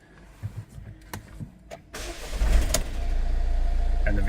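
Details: 2021 Mercedes Vito diesel van after no-crank no-start fix, dust blown from ignition: a few clicks then catches within a second into smooth even idle.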